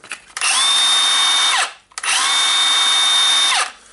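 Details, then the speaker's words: Milwaukee M18 brushless circular saw after replacing the faulty switch (saw had stopped working): two clean trigger pulls, each spinning up quickly to a steady high whine and winding down smoothly; motor runs normally. "nice to see that and thanks to the customer for the replacement part so the switch was faulty that was an easy fix for now"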